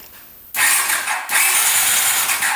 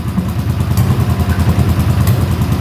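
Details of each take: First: 1981 Honda CX500 café bike that sat in a basement for years, first crank on the starter before oiling the cylinders: steady whirring crank in two even bursts with no grinding or dragging; normal cranking. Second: 1981 Honda CX500 café bike that sat in a basement for years, running on the choke at first start with no airbox or pod filters. Loud, lumpy V-twin pulse that never settles, with popping. Suspected worn accelerator pump diaphragm; rough running.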